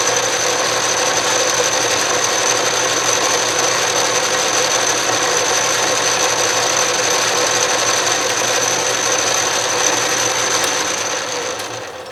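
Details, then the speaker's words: 12-inch Atlas Craftsman metal lathe after restoration and reassembly on a new bench, carriage power feed tested running left: steady high whirr and fine even gear chatter, no clunks or binding; normal power feed. "left that's moving nicely"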